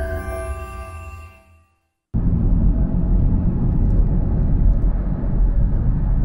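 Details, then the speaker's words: Honda CR-V with a constant noise while driving that gets louder as speed rises; suspected worn wheel bearing, though the wheel showed no free play. Steady low droning rumble under way, no knocks, a constant hum from one wheel. "customer complaint is there's a noise coming from the vehicle uh from initial uh test drive and inspection the noise seems to be increasing as you uh go up in speed so the faster you go the louder the noise is getting suspect it's potentially a wheelbarrow"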